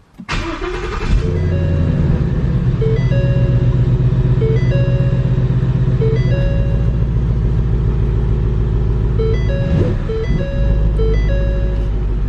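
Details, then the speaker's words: Rebuilt wrecked 2015 Mustang GT V8: a low, uneven, lumpy idle under steady chiming tones, with the whole car shaking. It is running rough, cause unknown, and codes are to be rescanned. "yeah something's not right the whole car is shaking and this doesn't seem right"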